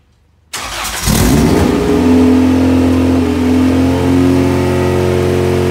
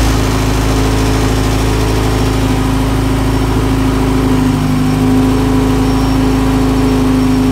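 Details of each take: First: Honda EG hatch project first start with vacuum hoses left disconnected; fires straight up and holds a fast, steady, raised idle that won't settle: high idle from vacuum leak. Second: Integra engine swapped into an EG hatch project, first proper start after reconnecting hoses; owner had feared knocking or a spun bearing: loud, steady idle with a smooth, even pulse and no knock or tick; runs healthy, though coolant and oil leak.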